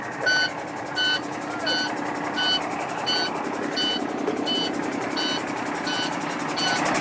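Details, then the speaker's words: Truck with primary air not building while secondary builds: steady electronic low-air warning beeping about 85 per minute over the running engine; air dryer purge valve stuck open, so system can't build and hold air. "see the secondary air is building up but the primary air isn't that noise you hear it's the warning from low air"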